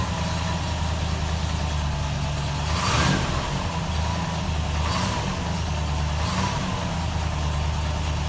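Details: 1968 Rover P5B V8 idling after conversion from a leaking mechanical fuel pump to an electric pump; smooth, even idle with a few light throttle blips, running clean with no leaks found.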